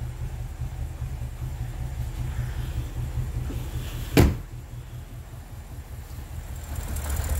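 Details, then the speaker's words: BMW N62 V8, multi-cylinder random misfire before repair, all cylinders misfiring except a couple: low, uneven idle with irregular lumpy pulses and a shaky rumble, one sharp knock midway, door shaking; rough running from misfiring cylinders. "I'll show you how it was running before like this misfire the old cylinders except a couple of them and everything it shapes it's even swing even more"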